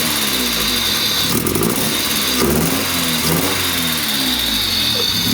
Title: d16y7 misfire